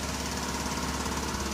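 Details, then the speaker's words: 1983 Buick Park Avenue: steady idle with fast light ticka-ticka on top; owner suspects leaky exhaust crossover pipe, probably a donut gasket somewhere; fan belts stretched. "but you can hear that ticka ticka ticka it's a leaky crossover probably about donut somewhere"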